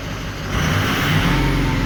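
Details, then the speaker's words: 2004 Ford 6.0L Power Stroke diesel, previously crank/no-start with injector bank dropout starting at injector 7; after splicing out damaged wiring the symptoms are gone. Steady, even idle with deep rumble, no knocks, misses or hunting: normal idle. "okay so basically what's uh pretty much happened here is our symptoms kind of gone away or it has gone away not kind of anyways we repaired you know that wiring that we 've seen there"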